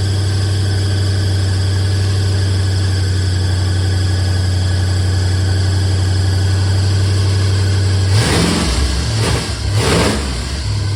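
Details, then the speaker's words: 1976 Mercury Monarch 347 stroker V8, first start after reversing the distributor's two MSD-box wires; loud open-pipe rumble at steady fast idle with throttle blips; idle too high, owner suspects idle adjustment or fast idle cam, carburetor from his 68 Mustang, timing unknown. "so it was the wires reversed on the distributor I don't know where the timing is carburetor really is uh got the idle weight too high but it could be fast idle cam I think it's just needs idle needs to be turned down"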